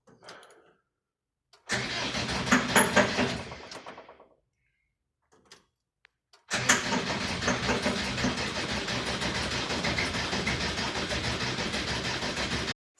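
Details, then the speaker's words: 1986 VW T25, 1.6 JX diesel, stored since 2017: two long bursts of steady cranking at about two turns a second with no firing. Owner suspects air, cracks an injector top to bleed it and tries easy start. "So I think what I'll do now is, I can't see any manual way of bleeding, so I'll just crack off an injector top, crank it again, and could be just air."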